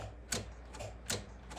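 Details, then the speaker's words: Early-1990s Oldsmobile Silhouette minivan, 172,000 miles, sat a decade or more; key turned gives a few sharp dry clicks and no crank, tach acting oddly; owner suspects low battery voltage or wiring issues: starter clicking, no crank. "Yeah, I guess it is. Weird what that does when you try to crank on it. That's very bizarre."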